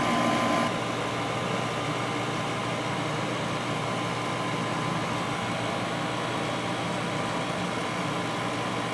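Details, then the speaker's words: 1991 GE Potscrubber dishwasher, first full load, filling for first rinse after main wash, water warm: steady even hiss of filling and spraying, no knocks, grinding or surging; normal rinse fill, sounds very smooth. "so that's basically what it's doing as it's filling but maybe you'd like to see that yes so far this thing is doing great"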